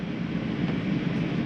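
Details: Coachmen Catalina 263BHSCK travel trailer, rooftop air conditioner switched on at the thermostat: a steady low hum with an even airy rush and no knocks or rattles; running normally.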